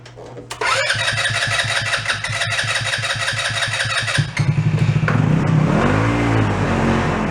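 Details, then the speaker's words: Two-passenger CVT ATV, believed 150cc, sat unused for a while; after battery charge and starter fluid, starter cranks steadily about three beats a second, never catching. Fuel starvation; water in carb also possible, tank gas looked good. "That is not getting any fuel at all. It has other issues. Could be water in the carb too."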